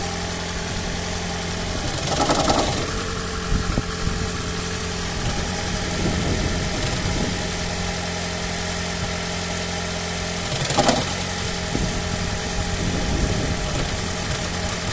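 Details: 2012 Toyota Auris Hybrid petrol engine idling: a low droning hum with an uneven, rattly undertone, the "death rattle" engine shake. A garage could not fix it; the cause is not confirmed.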